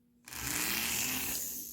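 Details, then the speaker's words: Lionel No. 60 Lionelville Trolley motor after repair: spins up to a steady, even high-pitched whir with no grinding or ticking, running smoothly, though in the wrong direction. "it sounds really good I know i' I've heard a lot of these that sound really noisy"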